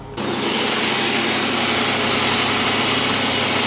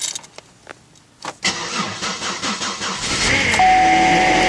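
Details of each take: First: Car with a 3.8-liter engine (Series 3) started cold at about 14°F: steady, even roar settling quickly after start with no knocks or misses; a healthy cold idle. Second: Cold start at about zero degrees in windy winter weather: cranking, then catch, with a steady thin high whine over the fast cold idle; owner is pretty sure it is the power steering pump, first time heard.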